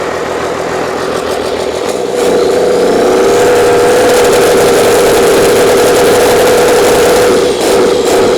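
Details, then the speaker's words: Old 12-valve Cummins diesel, stored almost a decade, first start after freeing a seized fuel solenoid: steady, even clatter after the start, no misses or knocks, not much blow-by; runs pretty nice. Normal idle. "I don't know runs pretty nice doesn't have real bad Bob by either"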